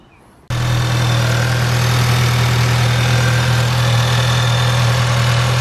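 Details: VW Jetta GLI 2.0T TSI first start after replacing the leaking upper timing chain cover gasket and refilling coolant: catches at once, smooth even idle with steady low drone, no ticking or rattles; normal idle.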